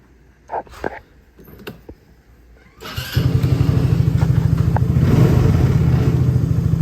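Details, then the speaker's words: Hammerhead R-150 side-by-side, GY6 150cc, new 24mm carburettor fitted, engine hot, started without choke: little single catches quickly and settles into an even pulsing idle — normal warm start. "Yeah, it's hot. We started that with no choke, so let's see if it'll run now."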